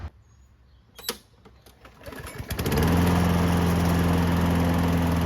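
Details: Lawnmower that sat unused and wouldn't start, after carburetor cleaning with checked air filter, oil and spark plug: a few cord pulls, then it catches and settles into an even, steady putter; normal running.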